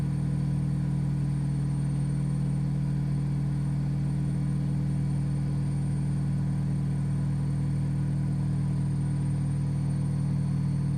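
A loud, steady low drone with a fast even throb, about four beats a second, while spinning: excessive spin noise, cause not yet clear.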